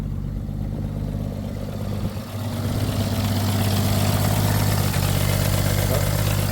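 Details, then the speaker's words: 1962 International B150 farm truck, first start after sitting years: low steady idle with even beat, no misses; runs smooth, not smoking, exhaust leak up front. "Yeah. Clearly it runs. An exhaust leak up front there. It's not smoking. And it is smooth."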